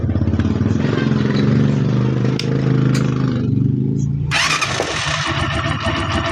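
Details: TMX Alpha small single-cylinder motorcycle, nearly new but with a ticking engine, run right after valve clearance adjustment; it runs smooth, even and quiet with no top-end ticking; normal running.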